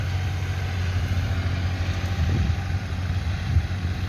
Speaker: เงียบดีนะเหมือนกับรถไถเล็กเลยอ่ะนะ